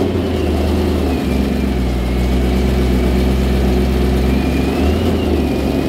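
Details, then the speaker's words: BMW E92 M3 with DCT dual-clutch transmission, exhaust valves closed, pulling away from standstill: steady low engine drone with brief dips as the gearbox takes up drive; engagement from rest slow and hesitant, fine once in first. "listen to the transmission trying to engage it's not the best but once you're out at first it's pretty good actually"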